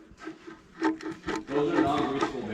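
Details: 2013 Krone Swadro 1010 triple rake; rotor turned by hand gives rough, gritty rasping in uneven bursts, main gears broken and bearings failing.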